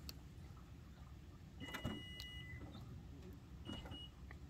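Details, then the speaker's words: Toyota Venza power liftgate that opens fine by button but balks when closing: short motor whirs start and stop with clunks and chimes as it gives up, though it closes manually. "see it doesn't like it that's okay i don't think we care as long as we can come up here push the button it opens just fine"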